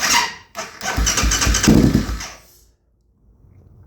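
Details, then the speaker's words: 2008 Kawasaki KFX450R with new starter, relays, solenoid and injector, timing and valves in spec: uneven grinding whirr in bursts with faint squeal while cranking, no catch; owner suspects starter gear or one-way starter clutch, not confirmed. "And that noise, I don't know what the hell that would be, but I know it doesn't sound normal. It also sounds like it's coming from the starter gear, or the one-way clutch for the starter."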